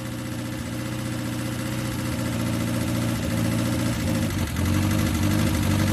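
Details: 1969 Ford Capri, replacement carburettor with smaller choke, choke on: uneven idle with wavering beat that dips and recovers near the end; poor idle, solenoid suspected, unconfirmed.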